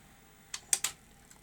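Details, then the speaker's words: Sony SL-C9 Betamax video recorder after cleaning the Hall effect sensor, partly laced tape: three sharp mechanical clicks, then quiet with no spooling; fast forward and rewind fail to engage, though play works with squealing. "that didn't quite go to plan last time it can it did a fast forward but this time it didn't can't do fast forward or rewind"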